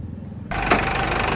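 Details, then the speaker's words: Ford Endeavor diesel after the faulty belt tensioner was fixed at a shop: quiet, then the engine catches and settles into a steady idle with no squeal or rattle from the belt area. The earlier noise is gone. "Ayos, ang galing! Ang galing talaga sa Sam Lakaba. Wala nang ingay kanina."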